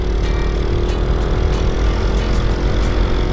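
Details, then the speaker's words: Supra 125 motorcycle test ride on a newly unboxed replacement carburetor, ridden slowly: the engine pulls with an even, steady low beat, with no jerks or stumbles; carburetion sounds clean and healthy. "Oke teman-teman, kita dengarkan suara awal starter. Yuk, kita mulai. Ini kita buat jalan pelan"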